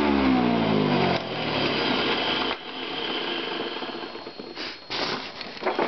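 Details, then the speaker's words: Vintage Eureka upright vacuum with beater bar brush roll: motor spins up with rising whine, then runs rough and noisy with buzzy edge; owner suspects worn motor bearings, or possibly dirt in the fan. "that sounds like the motor bearings might be a little bit worn out but could be just dirt in a fan too"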